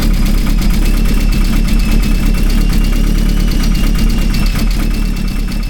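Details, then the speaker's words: Vauxhall Astra VXR with headwork, Pulsar PSR4849G (G25-550) turbo, intercooler and large intake: lumpy uneven idle with deep irregular throb, confirmed boost leak, smoke coming through the turbo where a small bolt was missing. "It wasn't running right. I thought it was some sort of boost leak, and I was right."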